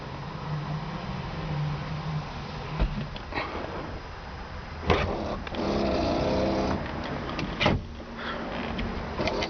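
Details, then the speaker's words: 1964 Ford Galaxie 500, one owner, 45,000 original miles, rear power window: slow steady motor whir with clunks as glass travels and stops; driver-side rear is weak and slow but the old window motors work. "uh the rear window on the driver's side is a little weak and doesn't want to move very quickly but it does work and the rear window on that side is working as well"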